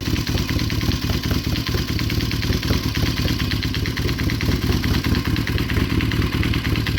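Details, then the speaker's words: Kawasaki KZ440 at idle with new spark plugs: sharp, fairly irregular knock about twice a second over a steady idle; owner suspects lean running making the engine overheat. Engine knock. "when I started the bike, I noticed that there was like a knocking noise in the engine, and that's not a good sign."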